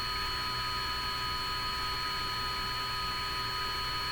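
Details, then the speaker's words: Hammarlund HQ-100A communications receiver at 10 megacycles during HF alignment, no antenna connected: steady hiss with fixed high whistles and low hum; unexplained signal, owner thinks it's picked up off the signal generator wire. "The receiver is so sensitive it's picking up stuff even off the wire going over to my signal generator. That's what it seems like."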